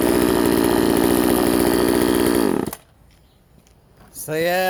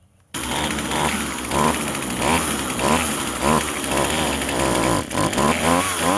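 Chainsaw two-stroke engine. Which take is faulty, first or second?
second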